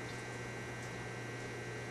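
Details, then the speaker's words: Gas fireplace log-set pilot, valve pressed in pilot position: steady soft hiss over a low hum, no sputter or pop; normal air purging from the pilot line before gas arrives and the piezo is used. "you'll start to hear a hissing sound while that sound is coming out there's air coming out of the pilot system"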